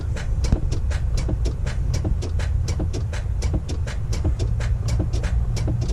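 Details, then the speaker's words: Semi truck with a suspected failing starter: rapid, even cranking at about four beats a second with no catch. The owner taps on the starter hoping it catches and thinks it's dead. "I'm hoping that she'll just catch it one of these times but she's just not seeming to this morning boys so I think she's dead"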